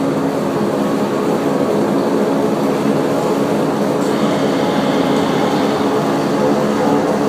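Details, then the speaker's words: Hackett Mills turbine on its first spin after a rebuild, December 2013, not online, at a little under 20% speed with oil pressure established. A steady, even rushing drone of water and machine with no knocks or rubbing; a healthy unit at low speed. "this isn't online this is just slowly spinning around about a little less than 20% so pit Mills spinning in the circle first time December 2013"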